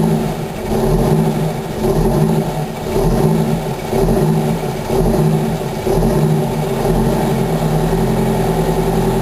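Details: 1987 Wanderlodge PT40 rear-engine 8V92TA Detroit two-stroke V8 diesel, just started cold after about 5 months sitting, camera mic outside and overwhelmed: a steady, even rumble with a slight pulse about once a second; running fine.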